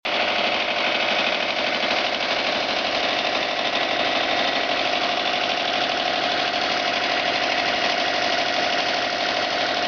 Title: Subaru Turbo strange engine sound /piston, rod knock, bearings?